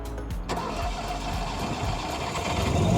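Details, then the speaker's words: RV generator started remotely from the app, batteries at 90%; earlier it would not crank at all after about 5 hours out because batteries were too depleted, now solved. Engine catches quickly and settles into an even, steady low drone; clean, healthy start. "start taada all right so that was open that so that was the first test that's what we were concerned about from before is when we had been out for like 5 hours we went to start the generator and it would not even turn over you it wouldn't crank nothing"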